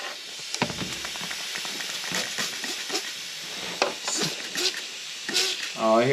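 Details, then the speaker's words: Intake manifold with a new plate design and new adhesive, pressure-tested at 10 PSI: a steady air hiss with sharper spurts. The leak is from the gasket, not the plate. "Why isn't that plate sealing? Thought gasket's leaking, too. But it's not leaking from the plate. It's leaking from the gasket."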